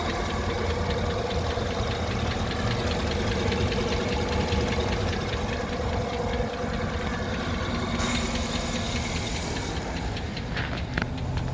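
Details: 2009 GMC Sierra 1500 Denali V8 idling at operating temperature with good oil pressure: light, fairly quick ticking over a low, steady rumble. Cause unknown.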